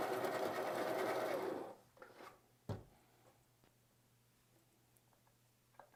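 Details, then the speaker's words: Baratza Encore burr coffee grinder after its clogged discharge chute was cleaned out: even mid-pitched motor whir for under two seconds, then stops, nothing binding; normal grinding restored after unclogging. "we're back to grinding the grinders back in action"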